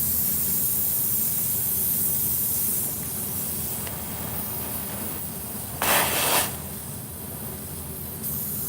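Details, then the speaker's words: Tire valve leaking air: a steady sharp hiss with a brief louder burst; the tire will keep leaking and the valve part likely needs replacing, to be removed with pliers. "Tire's definitely gonna leak. Might have to put a new one on. Might need a new one."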